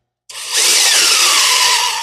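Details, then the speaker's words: Big-block Foxbody 1983 Mustang GT before first start, oil pump primed with drill via 5/16 socket on drive shaft, counterclockwise: drill whine drops in pitch as pressure builds and loads the drill, oil pump priming with drill. "spin that oil pump and you'll probably be you'll probably be able to hear it uh when it pressurizes up because it'll really pull the drill"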